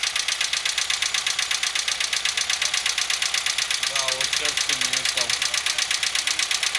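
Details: Engine with sharp, even ticking about three per second over a steady idle, running with diesel-like knock; worn rocker arms found to be the cause.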